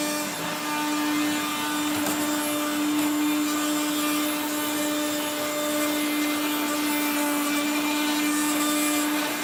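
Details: 1970s Regina Electrikbroom 3-speed vacuum, motor dry after being washed, especially the fan, while vacuuming: steady high motor whine with a gritty grinding edge throughout, from dry, worn motor bearings.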